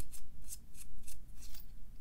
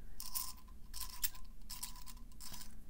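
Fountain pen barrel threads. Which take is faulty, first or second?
second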